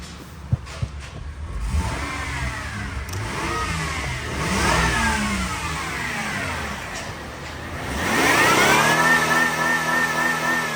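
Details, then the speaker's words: 2003 Honda Odyssey 3.5 V6, 262,386 miles, bad transmission, salvage yard part-out: starts cleanly, then revs rise and fall twice with a smooth even pull and no knocks or rattles; motor sounds good. "Motor sounds good."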